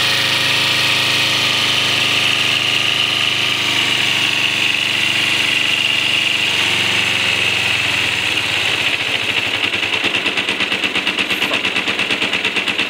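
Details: 2007 Kawasaki Ninja 250 with 2,700 miles, sat for a while, needed a jump start and old fuel siphoned out for fresh gas: the twin buzzes at a raised idle, then turns lumpy and hunts; rough idle, cause unknown.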